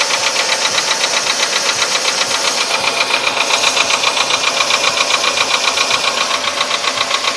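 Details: VW Polo Sedan engine, now 67,000 km: a loud, hard knock repeating steadily about 2.5 times a second; it appeared faintly around 61–62,000 km and has sharply intensified; the internal knock's cause is not yet known.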